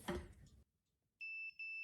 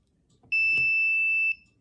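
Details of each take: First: Non-contact voltage function of a budget multimeter held near a plugged-in live cord: high-pitched beeps in short, even, repeating groups, showing the detector correctly sensing a live conductor. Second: Ideal multimeter from Lowe's: one high, flat one-second beep when the min-max button is pressed; the meter refuses min-max because no voltage reading has been taken yet.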